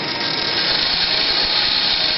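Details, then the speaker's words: Axial XR10 rock crawler rear axle with Hot Racing big-bearing gearbox, spun up: steady smooth high whir, quiet with no knocks or grinding; normal gearbox running. "what i wanted to do is i wanted to run it for you at least run the rear end here and uh you can hear how quiet it is it's actually pretty quiet"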